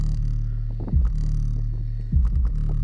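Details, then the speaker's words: Deep, even bass with no rattle while a loose passive radiator is held by hand: sealed 3 cu ft box, two Power Acoustik GW124 12-inch subs, four Earthquake Slaps M12 passive radiators, trunk of 2018 Chevy Impala; owner suspects its rear weight is loose or cracked. "Now, that's clean base."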